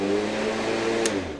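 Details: Black & Decker CM1640 electric lawn mower after fixing worn, bent starter parts whose loose clicking likely caused starting problems; steady electric hum with clear tones staying even, then winding down, motor spinning normally.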